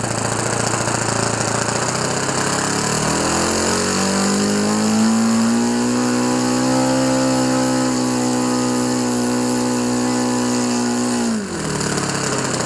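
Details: OS FS 91 Surpass 15 cc four-stroke methanol engine, rebuilt with epoxy-welded exhaust and new crankcase cover, break-in on very rich mixture with strong vibration: fast, steady drone climbing smoothly with throttle; runs healthy.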